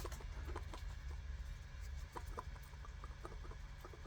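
Even low idle hum with light steady ticking from the valve and no clunking; the idle control valve is working normally.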